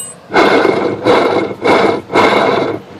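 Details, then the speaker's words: 1993 OMC Cobra sterndrive, water found in bellows: shaft spun by hand out of the coupler gives four rough gritty grinding bursts, visibly wobbling, worn gimbal bearing. "Not only does it sound worn, you may be able to see the shaft actually is wobbling."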